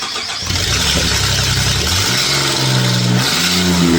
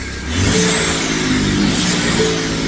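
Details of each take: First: 2017 Ford F-150 EcoBoost V6 on a true cold start after sitting overnight gives a light, quick ticking under the exhaust note that spaces out as the idle drops; the cause is an exhaust manifold leak from snapped manifold bolts. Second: 2017 Ford F-150 EcoBoost start-up after an exhaust manifold leak repair with snapped bolts and turbos removed and reinstalled: smooth, quiet idle with no ticking or puffing.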